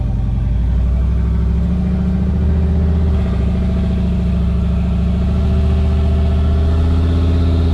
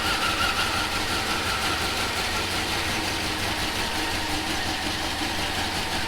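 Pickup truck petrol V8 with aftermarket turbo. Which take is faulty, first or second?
second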